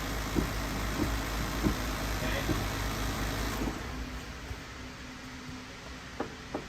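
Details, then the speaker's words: 2011-2012 Ford F-150 3.5L EcoBoost, after replacing electric brake vacuum pump with latest Ford part: steady idle with soft even thumps, then quieter hum as pump cycles on; new pump working normally. "You can feel it vibrating and working inside of there to make sure it actually works, all right?"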